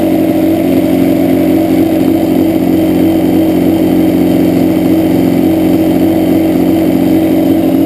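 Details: Yamaha Banshee two-stroke: buzzing, uneven idle lacking crisp twin pulse, left cylinder dropping out, pipe not warm at idle; carbs rebuilt and balanced, air screws adjusted, problem doesn't follow plug; cause unknown.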